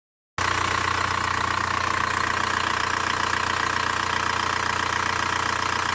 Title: Vw Bora 1.9 TDI ticking sound